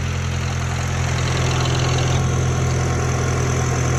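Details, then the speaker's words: Engine cold start after cam seal and timing work: idle slightly high, even low hum with light rattle on top; engine sounds healthy and no leaks so far. "Oh, she's a little up there, but it's a cold start. Let her warm up. See where the idle's at. Don't mind the rattling."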